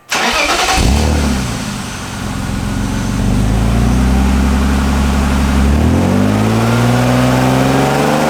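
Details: 1997 BMW E36 M3 sedan after fitting a refurbished stainless AC Schnitzer bolt-on muffler in place of the worn stock exhaust: engine starts and revs smoothly with a mellow, quiet note, no ticking, rasp or drone; no exhaust leaks, healthy exhaust.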